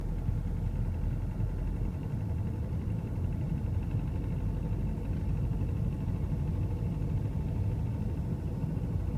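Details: BMW 520d F11 with N47 diesel engine, production date 03.2011: deep, rough knocking rumble around 1500 rpm; cause unknown.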